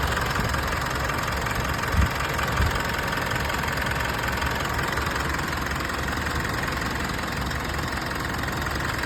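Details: Mitsubishi Triton at idle: uneven, stumbling beat with knock-like thumps; misfire caused by the turbocharger leaking oil into the intercooler, throttle body and combustion chamber.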